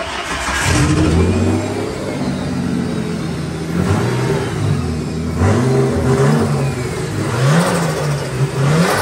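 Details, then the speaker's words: Nissan 240SX with a freshly swapped RB25DET, run by hand at the throttle body with no fuel line fitted: it catches and revs unevenly, surging and sagging, and dies, unable to idle; the owner suspects a fuel pressure issue. "that sounds [ __ ] sick and it dies I don't know why I want idle I will figure it out"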